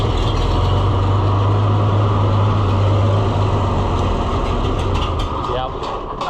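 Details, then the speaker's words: Oliver 1800 C series tractor that sat about a year, just started on choke, has a low throbbing idle that wavers and sags. The owner suspects something plugging up and too little fuel from trash in the carburetor seat, an old familiar problem. "Oh, I bet something's plugging up. This is the old familiar problem that it had."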